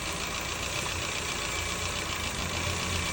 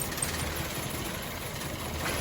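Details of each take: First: Petrol car with rough, shaking idle and poor acceleration, after reassembling the injectors and refitting the original coils in place of new ones: even, settled idle hum with a steady low beat and no stumble or shake. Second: Petrol car with unstable, stumbling idle, poor acceleration and shaking despite three new coils and new spark plugs: lumpy, uneven idle with one cylinder dropping out, traced to cylinder 3 via a clogged injector; misfire from clogged injector.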